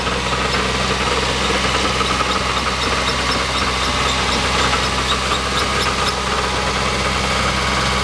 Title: first start up b16 ek , rattle noise